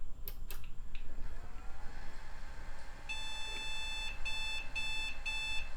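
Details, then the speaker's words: Early-2000s Compaq/HP translucent bubble PC on first power-on after fresh thermal paste and a new CMOS battery: one long high beep followed by shorter beeps, a POST error. The RAM edge connector is suspected; it later posted after a plain power cycle. "oh it's angry let's try cleaning up the edge connector on that Ram stick"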